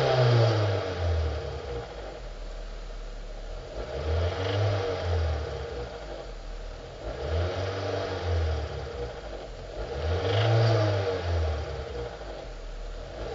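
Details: 2005 Hyundai Sonata 2.4 L 119 kW engine revving: dull knock under the clatter that rises and falls with each rev and grows with throttle; worn crankshaft bearings, replaced with new ones.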